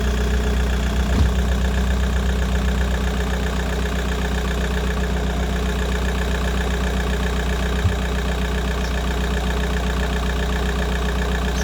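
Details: Volkswagen Golf 4 engine started to check for coolant leaks at the water pipe seal on the cylinder head side; smooth even idle with a steady low hum, no knocks or misses: normal idle.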